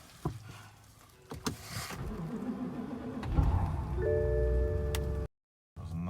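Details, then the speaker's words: BMW 550i N63 V8 started outdoors at about -15°F in Chicago after being driven to work at -20°F that morning: brief crank, then it catches and settles into a rough, uneven idle; the engine was not happy to start but runs; hard cold start. "Was not happy to start, but it does run."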